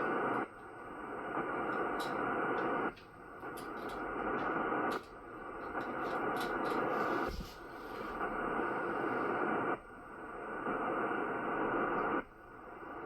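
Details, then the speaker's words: Ham radio hissing buzz that switches on and off about every 2.5 seconds. The noise remains after the charge controllers are disconnected; it is interference radiated by a faulty battery charger. "And that's the last one. We still have our noise. I wonder what it is."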